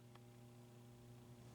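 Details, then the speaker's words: Gottlieb Four Seasons pinball machine: soft, steady relay hum with no buzz or rattle after the rusty relay plate and core face were cleaned. The relay now pulls in cleanly and the game scores correctly. "okay so that quieted it down I got them all back on again and it's scoring right everything's cool"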